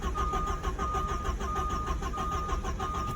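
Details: Porsche 944 that broke down at college, battery freshly charged after jump and push start failed: starter churns in an even rhythmic whirr for several seconds but the engine never fires; cranks, no start, cause not yet found.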